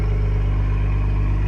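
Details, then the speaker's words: 2020 Ford Explorer ST at idle after replacing the failed flex pipe that caused a rattle, with WD-40 smoke in the pipes: deep, loud, even exhaust rumble with no rattle or ticking; sounds healthy. "Sounds good, rowdy. Sounds good."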